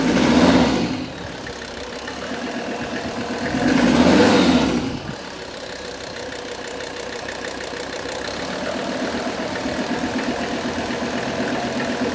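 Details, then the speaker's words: Mercedes-Benz S123 300TD turbo diesel, 720,000 km, likely old oil and filter, oil pressure 2.5 bar at idle: two smooth throttle blips then steady, even idle with no knocks or stumbling; pressure judged fine. "the oil pressure is now reading 2.5 I'd say arrival I'm just gonna rise the revs a bit"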